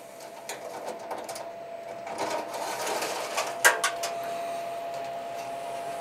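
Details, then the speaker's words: Masterbuilt Gravity Series 1050 charcoal smoker burning hardwood lump charcoal and oak chunks, brisket at 155°F: the control fan kicks on after the lid is opened to bring the temperature back up. A faint, steady mid-pitched hum under lid clatter; normal fan running. "You can hear that fan kick on when you open it to get that temperature back up."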